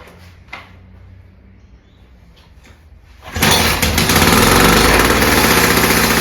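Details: VICTA Tilt-A-Cut lawn edge trimmer, VICTA two-stroke engine, garage-sale find after shed storage, new spark plug fitted; genuinely cold engine (muffler cool), fuel on, 3 primes: starts first pull, settling into a steady, even, buzzy idle with no misfires. Normal.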